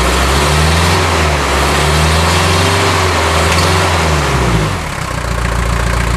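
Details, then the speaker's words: 1979 Mercedes-Benz 240D, first start in 13 years, glow plugs fed directly from battery, no exhaust system (torn off): loud raw diesel clatter, revs blip then settle to a steady even idle; running well. "it's running and it's running well like I said for the first time in 13 years there's no exhaust system on it because that got torn off while uh the car was being pulled onto the trailer"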